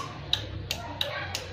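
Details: Carbureted Honda Beat scooter with a normal battery: sharp dry clicks about three per second when pressing the starter, with nothing turning over. Starter fault (worn starter brushes mentioned), not a battery fault.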